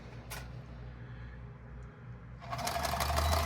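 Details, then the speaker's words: Kenmore 10 Model 1251 sewing machine just oiled at the collar, stepper case and shaft: after a quiet start it spins up to a fast, smooth, even whir with no clatter or knocking. Runs freely and is noticeably quieter after lubrication. "Once you've got everything in there, you can already hear that things are a lot quieter now."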